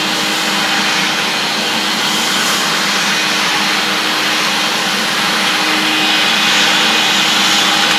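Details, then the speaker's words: Vintage 1976 UK-made Hoover S4002 Freedom cylinder vacuum cleaner running: a steady, even motor whine with a constant airy rush, no rattles or speed wobble; normal running. "Well, I think that sounds okay. I'm no expert on what an electric motor should sound like."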